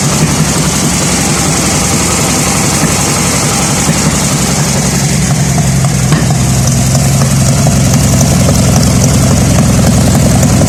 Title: vw beetle engine misfires